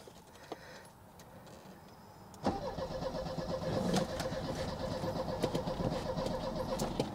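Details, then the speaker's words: Cheap old Mercedes-Benz: quiet, then the starter spins the engine at an even rhythm but it never fires; no fuel pump heard and no fuel reaching the fuel distributor, fuel pump suspected. "wait I don't hear the fuel pump I think we need a fuel pump"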